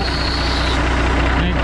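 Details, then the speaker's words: Kenworth K100E Aerodyne cabover diesel idling, 13-speed transmission valve splitter at rear: thin constant air hiss over the idle as compressed air leaks from the splitter valve; owner suspects bad O-rings, plans replacement. "and it'll it'll probably pick back up and start pissing air which i'm i'm almost positive there's some o-rings that are bad so that's what i'm going to be trying to swap out"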